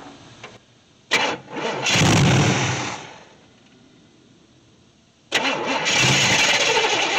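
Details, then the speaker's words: 1964 Chevy Impala SS Convertible, long-sitting project: engine catches, runs a couple of seconds and dies, then restarts and runs unevenly; rough running because ignition timing is still all over the place. "and it's still the timing's all over the place and it's running kind of rough but we'll uh we'll keep tinkering with it"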